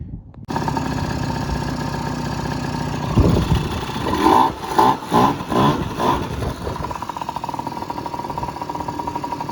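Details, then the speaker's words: Yamaha Jog two-stroke scooter with a pod filter and home-drilled jets (idle jet drilled to 22 thou, about a 53): it starts, stumbles through a few throttle blips, then settles into a slightly lean idle, not as good as with the stock airbox. "That's about got her right where I want her. I mean, it's not perfect. It's not as good as it was with the restrictive box, but I guess that's as good as it's going to get with a pod filter and me just drilling out jets here at home."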